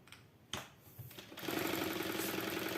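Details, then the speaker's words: Jack heavy-fabric sewing machine with enlarged shuttle: at the maximum 7 mm stitch it runs fast, 3–4 stitches a second, with a light rattling tick as the reverse lever knocks; at 6–6.5 mm it runs quietly, a stitch-length/needle-plate mismatch. "слышите стучок Все вот пошел стук и рычаг и рычаг я касаюсь рычага это у меня Вот вот рычаг реверса"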